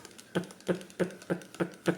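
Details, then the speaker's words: Shimano Socorro SW 6000 spinning reel: sharp dry clicks about three a second with each handle turn; the handle wobbles and is not solid, loose fit suspected. "ini goyang ini handel ini goyang tidak Solid saat diputar dia menimbulkan apa ya bunyi yang mengganggu terus ada kayak cetek cetek cetek yang mengganggu"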